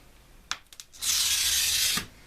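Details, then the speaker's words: Glass cutter scoring glass, from an old box of cutters judged by sound: about a second of louder, harsh, scratchy hiss with audible notching, indicating a worn cutter wheel. "it's a louder sound, and you can hear that notching."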